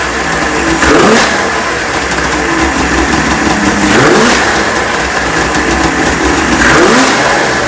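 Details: Neglected 1996 Ski-Doo Formula 3 600 triple two-stroke snowmobile, after carb cleaning, choke adjustment and carb sync, on choke; crisp even crackle with revving blips every couple of seconds, picking up cleanly. Runs sweetly.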